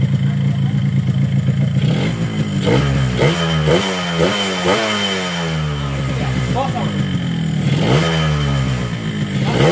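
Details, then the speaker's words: Yamaha RX-King two-stroke after block rebore, test: revving with dry rattling clatter, piston still loose in bore; planned fix boiling piston in oil to expand it, likely cylinder honed too loose — piston slap. "Ya, dari suara sudah cukup halus, tapi masih ada gejala piston itu masih longgar."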